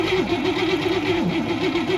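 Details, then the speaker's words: Abandoned 1961 Cadillac being revived: starter cranks the engine in an even, pulsing whirr of about four beats a second but it never catches. Spark is present, but the fuel pump is delivering no fuel. "well that wasn't magic fuel pump isn't doing anything yet i was hoping it would just magically work"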